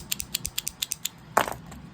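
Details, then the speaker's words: Makita circular saw with new trigger switch, model 651083-9, worked by hand: a crisp run of sharp, even clicks, about eight a second. Normal switch click; the old failed switch made no sound. "normally you should be able to hear them. So like they'll click, not just barely go in. They should click and you should hear it."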